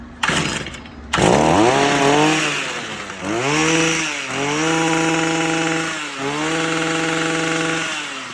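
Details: Stihl FS45 trimmer after carburetor replacement with aftermarket kit and spark plug gap adjustment, choke then off: small two-stroke catches, blips up and settles into steady even buzzing; normal running.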